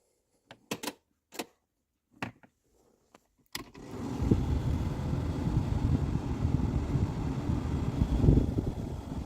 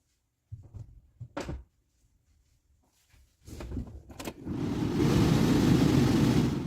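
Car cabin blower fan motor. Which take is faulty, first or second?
first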